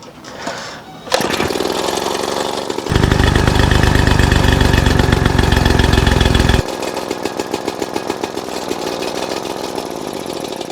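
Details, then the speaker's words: 1936 Johnson Seahorse 200 outboard after fuel mixture screw adjusted about one turn: after a short start, steady even buzzing beat for several seconds with no misses; running normally. "Let her run for just a little bit longer. She's sounding good. Damn good."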